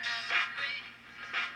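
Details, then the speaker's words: General Electric AM/FM tube radio with silver mica disease in the IF cans, before repair: tuning across an FM station, audio rises in three separate humps instead of one peak because the IF transformers are out of alignment. "got a triple hump cuz the ifs are not in a line they're just all over the place"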